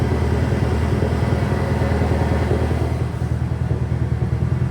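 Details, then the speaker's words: Highly modified, remapped VW Scirocco R with big induction intake, idling right after reflashing back to the stock ECU file: uneven, lumpy stumble about three times a second, misfiring much worse; earlier compression and coolant tests done elsewhere. "she is misfiring like mad. So much worse."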